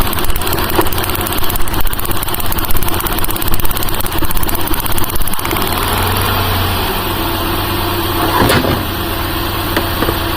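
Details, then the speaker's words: 2008 Buick Lucerne CXL 3.8L FWD with code P0300 and shaking, hard start; loud rough idle with uneven low thump and shake, misfire on multiple cylinders while testing coils. "Let's start it up. This thing runs like crap."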